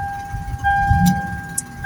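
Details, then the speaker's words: 2004–2007 Toyota Highlander starting with a newly programmed flip key (Xhorse Mini OBD Tool V2), security light not blinking: low engine rumble catches and settles quickly under a steady chime; normal engine start. "Started the car. So on the other side, you can see the security light is not blinking. That started the car."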